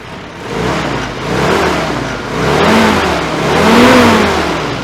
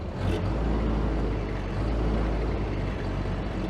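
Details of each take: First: Ford-script Willys army Jeep that had no idle (idle circuit not getting fuel), after carburettor repair and mixture adjustment with air cleaner fitted: engine blips up and settles cleanly several times, no stumble, popping or hesitation; healthy revving. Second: Ford-script Willys army Jeep with no idle circuit fuel in the carburettor; low, lumpy engine runs rough, kept alive by feathering the accelerator, and stops when foot comes off; carburettor problem.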